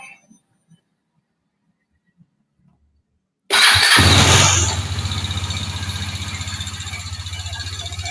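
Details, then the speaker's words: KTM Duke 250 single-cylinder, arrived with a complaint of a noisy engine: fires up into a loud rough idle with a clattery, hissy edge; cam chain suspected first, then valve clearance in the cylinder head. "kita mulai aja dari saat mesin pertama ini datang datang ke sini keluhannya mesin nya suaranya agak berisik kita Cobain"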